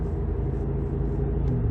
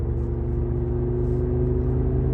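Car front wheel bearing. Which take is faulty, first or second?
second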